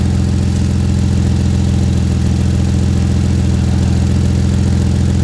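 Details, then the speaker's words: Ford Flex EcoBoost: exhaust leak at a broken flex pipe after a cheap wrap repair in cold winter weather. Steady deep idle with soft even puffing; steam shows the joint is not fully sealed, though it is quieter than before. "well the steam that you see right here tells me that it's not really sealed all the way it's not as loud as it was I'll give it that"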